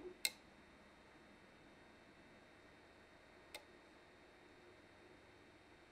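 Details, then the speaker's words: Ender 3 at idle with SKR Mini E3 board, after both the cooling and mainboard fans were replaced with Noctuas run through buck converters: only a faint steady hum and stray clicks. Normal, very quiet idle. "this is the printer at idle and this listen to it sounds fairly calm and doesn't really make too much of a sound other than a slight humming"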